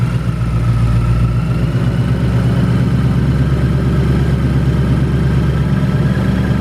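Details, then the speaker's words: 2018 Mustang GT with Whipple supercharger on E85, about 5,400 miles, idling V8 with a rough, rapid hollow knocking through its low rumble before a dyno run: severe piston slap; car had no noises before. "we went there to check it out to kind of hear what it sounds like and obviously we'll play it for you go ahead"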